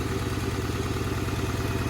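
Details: $200 Honda Accord idling with an uneven, lumpy pulse and regular stumble like one cylinder not firing; spark plugs ruled out, owner suspects electrical or injector fault, cause unconfirmed.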